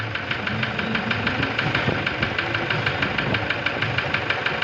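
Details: Toyota Revo with 1KD diesel engine at idle: sharp, even ticks about three per second over the idle; engine knocking of unknown cause.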